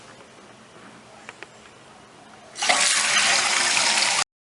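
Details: Toilet after replacing the fill valve with a new Fluidmaster 400A, because water kept running into the tank: quiet start, then a steady strong hiss of water refilling the tank; clean, even refill, no leaks.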